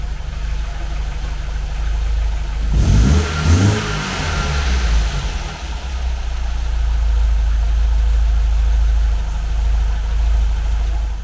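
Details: 1980 MGB with twin SU carburettors after balancing and mixture tuning. A sharp rev blip drops back to a steady, even idle with no misses or hunting. Carbs are well balanced.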